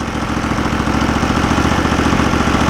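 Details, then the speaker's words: Norwood LumberMate portable band sawmill small engine, owned about 10 years, sitting all winter, due an oil change, fuel filter changed and carb cleaned last year: a regular even firing beat at steady idle, no stumbles or knocks; normal idle. "well it sounds good uh we're all excited to go ahead and start uh using it here in the spring"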